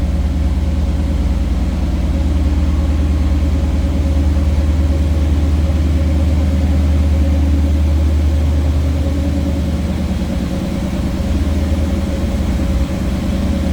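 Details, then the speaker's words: 1978 GMC Sierra K10 4x4, small block V8, heard from behind the truck: deep, steady burble at idle with an even loping beat; nice-sounding, healthy idle. "sounds pretty good nothing crazy over the top just a nice sounding small block"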